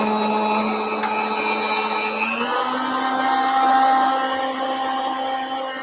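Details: Router table with stile and rail cutter, speed being raised a little: steady high motor whine stepping up in pitch, smooth with no chatter; router spinning normally.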